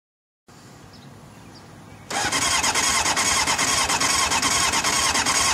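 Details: Honda CBR600F2 won't start: starter whirs in with a high squeal and spins at a steady rhythm, but the engine never fires or catches.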